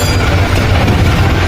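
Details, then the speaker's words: Yamaha R15 V3 motorcycle started after tappet clearance adjustment: smooth steady low idle with even beat, no top-end ticking or tapping, sound much improved from before; normal idle. "দেখেন স্টার্ট দিলাম, স্টার্ট দিছি, দেখেন সাউন্ডটা কত সুন্দর হয়েছে।"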